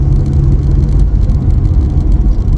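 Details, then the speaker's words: VW Passat B3 with a PD150 diesel swap, cruising at 40-50 mph on 17-inch wheels with small tyres: steady low droning hum with no knock or whine. Still present after securing hoses and the exhaust bracket; suspected tyre or road noise, not confirmed. "And I can still hear it. Ugh. It must just be road noise."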